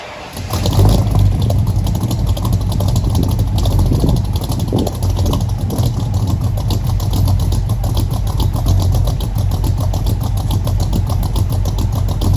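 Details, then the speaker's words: 1964 Mercury Comet, first start of a freshly built engine with FloTek 180cc aluminum heads, Trick Flow Stage 1 cam, Victor Jr. intake, 1-5/8" headers, new plugs: rough idle with irregular stumbles; misfire that seemed ignition related, with some smoke. "basically what we had at this point was a weird miss that I was noticing it seemed ignition related to me also I was noticing a little bit of smoke"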